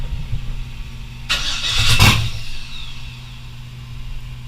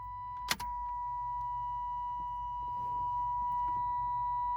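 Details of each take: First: First start of an LS-swapped S10: a brief harsh slapping clatter as it fires, then a steady idle. The accessory belt kicked out to the outside while running and is hitting a bolt. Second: LS V8 swapped into an S10, first start with the belt on: it cranks, catches and settles into a steady, fairly loud idle, maybe slightly low. The alternator is charging; it runs normally.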